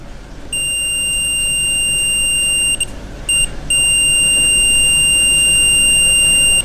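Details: Mk4 Ford Escort van glow plug tested with a meter against a new Bosch plug benchmark: a steady shrill continuity tone holds for several seconds with one short break, showing the element is intact.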